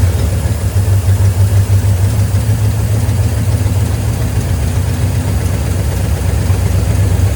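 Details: 1972 GMC C10 V8 pickup, sat unused for years, running with fuel pump fed from a can of gas: deep, steady idle rumble with an even beat, no knocks or misses; ran pretty good though very smoky.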